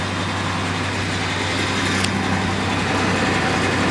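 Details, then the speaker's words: 2000 Ford Ranger, inherited truck: even, steady idle with a smooth low rumble, no knocks or misses; engine sounds healthy, mild exhaust leak underneath. "But the engine sounds healthy, and that's the important part."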